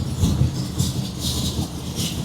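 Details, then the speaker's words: 1962 Ford Fairlane 500 V8 cold start after sitting 10 days at about 40 degrees, settling into a deep lumpy steady idle, no grinding, only a slight starter ping; normal cold start and idle, engine later died. "But that's a cold start. That thing has been sitting here for 10 days. Hasn't been started. That's pretty good."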